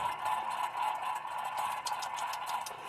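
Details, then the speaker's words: 1998 Toyota Corolla 1.8 L, pressed-in wheel bearing: gritty, rough grinding rasp with faint uneven tick as the removed loose hub is spun lightly by hand; bad wheel bearing, right side likely bad too. "that is a a bad wheel bearing now I'm just spinning this lightly here"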